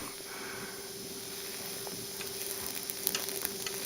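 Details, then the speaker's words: Steady torch hiss and sizzle with light taps as each carbide tip is brazed onto a steel saw-blade seat; the steel is heated first (red, not orange), the solder flows and the tooth is tapped into place. Normal brazing. "I heat the solder one last time, move to the next tooth. Heating up the steel first each time."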